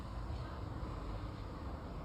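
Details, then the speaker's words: Toyota Vios Limo front wheel bearing, hub spun by hand with the CV joint removed. A low, coarse continuous rumble comes from a loose, worn bearing, which caused the roar heard while driving. A new Trivindo bearing and DTMK outer CV joint are ready. "Jadi ini mobil kalau dibawa jalan bunyinya udah gitu. Pokoknya gemuruhnya udah parah lah."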